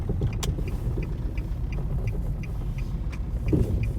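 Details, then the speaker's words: 2006 Nissan Altima misfiring while driving, with a deep, uneven stumbling rumble and the check engine light flashing. Cylinder 2 was misfiring, and the coil pack was replaced to fix it. "we got the check engine light flashing [Music] we got his nose in the front there it is"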